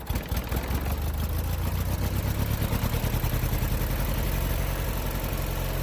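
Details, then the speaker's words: Bolens Duratrac GT2000 tractor, starter had spun without engaging the flywheel, now with a different battery: the small single-cylinder engine catches and settles into a steady, even low putter with no misses or knocks. Running normally; battery suspected as the cause. "so it did start it up let's hope the issue is a battery not the electric starter"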